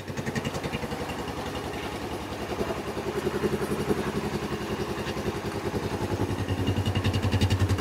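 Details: Kawasaki Bayou 300 ATV, parked about two years, after carburetor cleaning and spark test: small single-cylinder engine puttering at a steady, even beat around idle, picking up slightly, no misses, no smoke; running normally.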